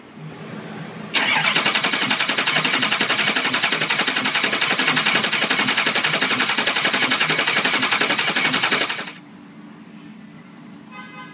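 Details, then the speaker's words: 2006 Ford Econoline 6.0 Powerstroke diesel cranking about eight seconds near 220 beats a minute with uneven intake popping, no firing; IPR 85% but no base oil pressure; pressure relief valve removed and checked for sticking, cover found worn. "you can also hear that when they don't have good oil pressure go ahead and do a demonstration on how it sounds with no oil pressure"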